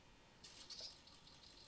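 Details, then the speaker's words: RC car's older steering servo on a bench test with the wheels off the ground: a thin buzzing chatter as it strains; a replacement servo is planned. Noisy steering servo. "And I don't know if you guys can hear that, but the servo is not happy. But that's fine because I have another servo we can use."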